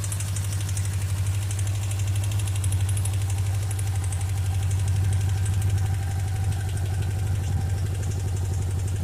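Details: Suzuki GSX 600 Katana idling: even idle with regular light knock about four times a second over deep thrum, more on right side; top-end knock suspected, valve clearance or camshaft beds, unconfirmed.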